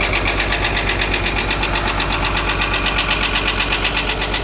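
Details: Caterpillar excavator diesel engine running steady with a sharp, regular knock around 160 per minute at the back of the engine; source unclear, compressor suspected; abnormal noise.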